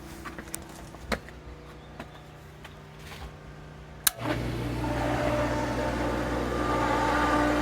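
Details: Pentair pool pump motor that only hummed, with the impeller turning freely, now with a new capacitor: quiet, then a click, and the motor spins up to a steady, even hum. It starts and runs normally.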